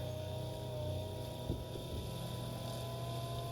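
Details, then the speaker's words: Electric oil pump for a turbojet go-kart, tested with housing off before first engine start: steady low hum that stumbles midway, feeble and uneven, like it's trying to come back to life; no pressure, the pump motor itself is failing (owner wonders about water inside). "so uh I took the they got the housing off and tried turning the pump on come to find out it's the motor itself is no good [Music] it's like it's trying to come back to life"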